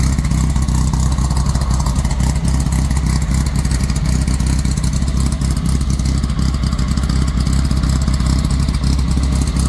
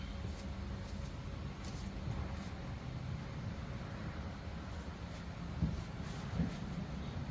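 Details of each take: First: VW Squareback running after the bug quiet-pack muffler was replaced with a Dynomax race bullet and the header leaks were fixed: a deep, throaty exhaust with a steady, even beat and clean revs, no puffing or ticking leaks. Normal running. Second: VW squareback with bug quiet-pack exhaust, cold start: steady low dull idle lacking crispness, sounds muffled as if the muffler restricts flow, before swap to a Dynomax race bullet; cause suspected.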